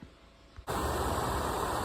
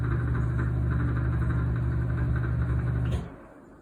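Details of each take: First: Exhaust fan after fixing stripped fan wheel by wedging a zip tie on the shaft flat: quiet, then steady even rush of air with no rattle; normal fan operation. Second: Exhaust fan after part replacement: loud rough droning hum pulsing about four times a second, fan wheel stripped so it slips on the motor shaft.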